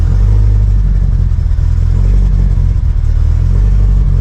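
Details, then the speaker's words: Subaru STI just after first start, cold and warming up: steady low rumbling idle with some header rasp; suspected exhaust leak ruled out on inspection, no leaks, bolts tight, just the headers' warm-up sound; normal cold-start idle. "with further inspection it didn't have an exhaust leak i guess that's just how these headers sound when it's warming up"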